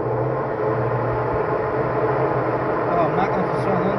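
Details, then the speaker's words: Electrolux washing machine after tightening the loose agitator that caused loud spin noise: steady, even low hum through the spin with no knocking, rattling or scraping; normal spin cycle after repair. "vocês vão ver as diferenças aqui ela centrifugando depois de apertado"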